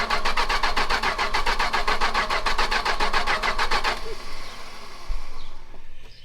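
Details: 440 big-block V8 from a 1974 Chrysler New Yorker, throttle held open with starting spray, no key in the ignition: steady rapid starter chug about two turns per second for four seconds, never firing; cranks but won't start.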